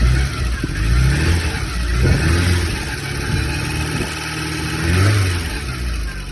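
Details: Porsche 924 cold start: engine running with a steady whine over the rumble as it revs; owner hears a grinding/howling, typical and normal.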